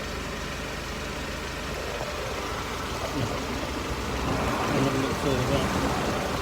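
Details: Mercedes SLK R170 on stands, recorded under the car at steady idle. The old, rusty exhaust has a coarse, raspy rumble that grows slightly louder. The owner suspected a leak but found none at the silencer joint. A failed central exhaust mount was found.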